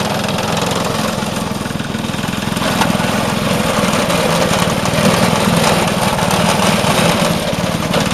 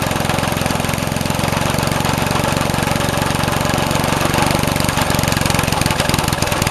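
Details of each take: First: Vintage Craftsman 18" snowblower, rebuilt 3.5 hp Briggs single-cylinder, after carb fine-tuning: steady, even putter at constant speed, no misses or surging; running cleanly. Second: Vintage Craftsman 18" snowblower, rebuilt 3.5 hp Briggs single-cylinder, just cold-started with starting fluid: fast buzz with a ragged, uneven beat that won't settle; owner says the carb needs adjusting.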